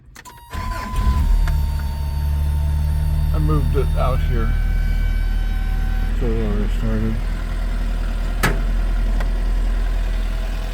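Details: 1979 Toyota Pickup 4x4, R20 gas engine, 89,820 miles, about 3,300 miles since full rebuild: short crank, quick catch, then steady even idle with no tapping or misfire; normal idle.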